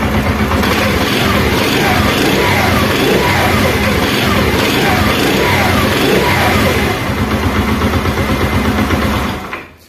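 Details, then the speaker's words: China 70 motorcycle after fitting a two-point ignition coil: the single-cylinder thumps evenly at about four beats a second, a steady, unhurried, healthy idle firing cleanly. "और ये बिल्कुल सही तरीके से यहाँ पर जो बाइक है वो हमारी स्टार्ट है, ठीक है।"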